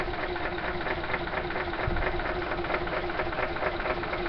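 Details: Small engine with choke wide open, running on a tiny amount of hydrogen after flashbacks and backfires. It idles at a steady lowish speed with a choppy, uneven beat and light knocking, sounding lean and struggling. Cause suspected, not confirmed.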